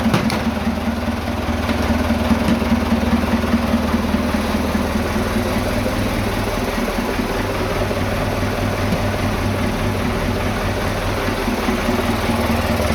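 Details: Vintage "77" diesel tractor that sat two days with an empty tank. After refuelling it fires right up into a steady, even diesel idle with no misses or surging.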